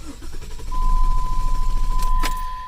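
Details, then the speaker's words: Jeep Liberty petrol engine cranking in a steady rhythmic churn, about six beats a second, but never catching; crank no start, owner first suspects fuel pump or fuel filter, not confirmed. "and you can see it's cranking but not starting"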